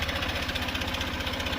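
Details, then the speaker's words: 2023 Honda CB125F single-cylinder idle after a 128 km ride, following a cylinder head repair with Threebond silicone: fast even ticking, a light tap on every firing; owner plans to check the valves, smoke has stopped. "There's definitely some noise coming from the engine."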